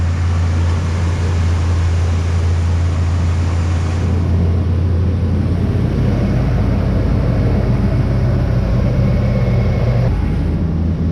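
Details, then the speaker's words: 2011 Ram 1500 Sport 5.7L Hemi V8 after fixing a sheared exhaust manifold stud leak: smooth even low idle, tick gone, only a slight fan/belt squeal, with tensioner, belt and pulley due for replacement. "She's quiet as a mouse, boys. I think you can hear a little bit of a fan squeal."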